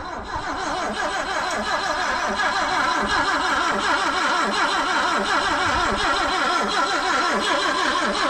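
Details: 1974 BMW 2002 with points ignition, sitting 30+ years and cranking on 30-year-old gas; a steady starter whirr with even pulses around eighty a minute that never catch, no spark at first.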